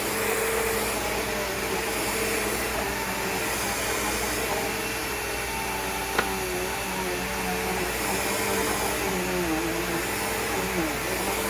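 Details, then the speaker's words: Bissell CleanView PowerTrack Deluxe vacuum running after cord replacement: steady, even motor whine with no grinding or rubbing; motor healthy, brush roll not binding despite a bad belt. "Doesn't sound too bad. Motor sounds nice and healthy. Brush roll, it's not binding up or anything, even with that bad belt on it."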